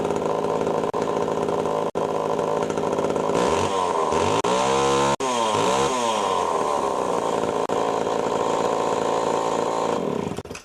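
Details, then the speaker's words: Pioneer 11-60 chainsaw after long storage, ignition points readjusted and sanded: strong even running, revs sweep up and down cleanly with no misfire or stumble; normal running. "to run for good actually I'm impressed I'm surprised that after all these years in storage which is running good"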